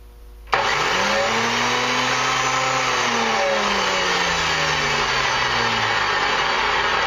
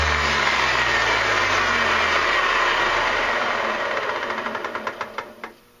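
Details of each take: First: Antique Sunbeam dual-blade electric mower, plugged in, one blade belt missing: motor snaps on into a steady whirring hum with a few wavering tones, holding speed evenly; motor runs normally. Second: Antique Sunbeam dual-blade electric mower, plugged in and switched on, flipped over: motor whirs and slowly winds down with ticks slowing as it coasts; one blade side isn't driven because its drive belt is missing.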